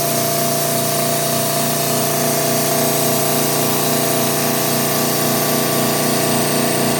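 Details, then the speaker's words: Air Techniques M5B portable dental dry air compressor with dehydrator, 115 V, always-on cooling fan: steady buzzing hum with even pulse about four times a second, no knock or rattle; pumps to 80 psi, vents through dryer to regenerate, normal. "And as you can see, after it hits 80, it's venting back through the air dryer to regenerate"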